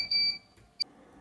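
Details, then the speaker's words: Cooler Master Aerogate II fan controller in a Wave Master case, socket 462 retro build running 3DMark 2001: two sharp high-pitched beeps as the over-temperature alarm fires at its 65-degree threshold. "okay so it's 365 degrees I'm just running this demo here in a 3dmark 2001 I think and uh doesn't seem to like 65 degrees I wonder if I can change that threshold"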